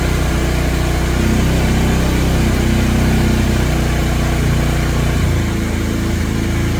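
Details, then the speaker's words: 2017 Polaris Ranger 570 EFI, in heavy rain, hard to start the day before: loud, heavy idle that wanders and dips in pitch instead of holding steady (about 950, then 1250 and 1200). Fuel pump due for removal; rough, unstable idle. "Cut off 1250. Cut off 1200. So, something's going on."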